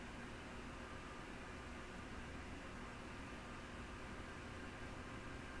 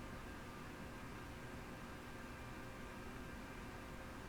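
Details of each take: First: Yaesu FT-101E radio given full power after bypassing the dim bulb tester. A quiet, steady airy hiss with no knocks or rattles: its cooling fan is running normally. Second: Yaesu FT-101E transceiver first power-up through dim bulb tester, lower sideband, 25 kHz marker, full volume and RF gain: only a flat low steady hiss, no marker tone; receiver not passing signal, signal injection next.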